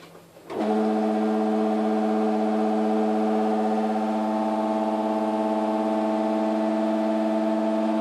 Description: While on timer to do a wash in the night I was woken by my LG washer/dryer (F1403RD) making this really loud noise, does anyone know what it is ?